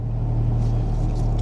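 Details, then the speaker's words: 2000 Toyota Camry after new spark plugs and wires fixed a cylinder 4 and random misfire: smooth, even idle in gear (reverse, drive) with no hesitation, stumbles or skips. "Let's start it up. Runs beautifully. No hesitating, let me run through the gears."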